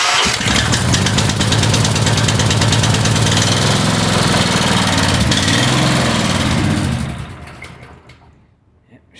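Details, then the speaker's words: Small single-cylinder gasoline power washer engine, after diesel was accidentally put in the fuel and cleaned out, runs with an uneven, loping, slightly hunting beat before dying away; leftover diesel makes it rough at first. "still running a little bit rough gonna run a little bit rough at first gonna take time"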